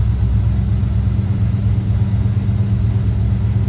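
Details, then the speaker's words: K5 mail truck with true dual exhaust and turbos, formerly needed 6–7 start attempts and wouldn't stay running; after replacing one part, fuel pump heard, then deep steady rumble holding idle without stumbling. "No, that's so awesome. $17 part. This thing you used to have to start it like 6 or 7 times, and it would never stay running."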